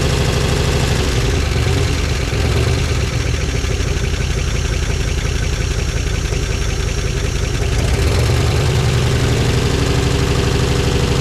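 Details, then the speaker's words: 1955 DeSoto Firedome Hemi V8, first start in decades after storage, on its own fuel tank: heavy, lumpy idle with an uneven, stumbling beat, cylinders not firing. Misfire traced to crossed spark plug wires, later switched around. "Runner unlike seven yeah we got to figure out which one ain't firing"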